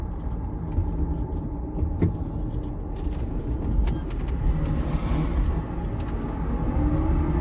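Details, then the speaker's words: EV-converted MG Midget with a newly installed replacement electric motor (the old one blew up) and a new potentiometer throttle. Driving forward on a test drive, the motor is at 16°C, about ambient. Only low, even road rumble with no motor whine, knocks or clunks: smooth, quiet drive. "Oh man, this is smooth! Oh, this is so much better and quieter."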